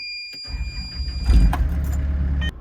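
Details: Excavator diesel started after its service: catches within half a second and settles into a steady, even low rumble with no stumble; a clean, healthy start.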